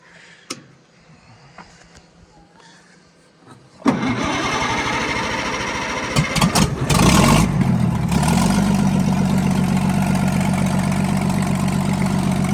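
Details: Oliver 88 row-crop tractor that sat 20 years, after starter ground cleanup: quiet clicks, then the engine fires, catches, revs briefly and settles into a steady, regular idle of about four beats per second. It's running normally.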